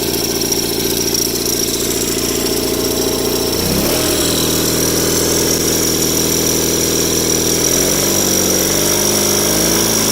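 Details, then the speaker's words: Rare factory-built Cub Cadet garden tractor (one of 83 built), twin engine governed at 3600 rpm wide open: smooth note steps up in speed twice and settles evenly without stumbling; runs like a top at governed full throttle. "an interesting thing to note about this is that for whatever reason cupcadet governed these engines at uh 3600 rpm wide open whereas john deere government 34.50 so this one does rev a little bit higher than the one in the 318."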